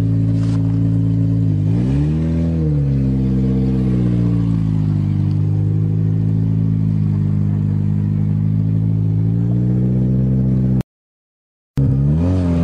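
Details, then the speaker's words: Toyota GTS that had been misfiring, after tune-up with four used BMW spark plugs, first drive on April 15 in Canada: clean rise and fall of revs, steady low rumble, slightly rough; runs evenly without missing. "getting warmer now here in canada april 15th oh sounds better already whoa that sounded great"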